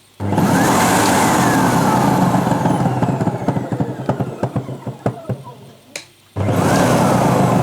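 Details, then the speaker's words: Sebo Professional G1 upright vacuum, brush roll removed, still clunking: runs, then a rapid knock of about three per second fades as it spins down; owner suspects the motor, not confirmed. "I've taken the brush out to make sure that it weren't the brush for any reason. If you turn it on, makes that clunking sound still."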